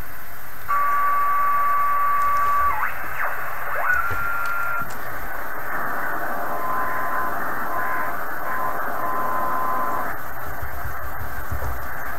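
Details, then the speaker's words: 1980s Kenwood TS-430S after Kenwood's relay-contact procedure, 2:30 pm poor band conditions: steady band hiss with faint digital data tones drifting, no crackle or dropouts; radio working fine. "radio appears to be working as much you know in the middle of the day it's really a bad time here but uh i'm pretty sure it's working fine"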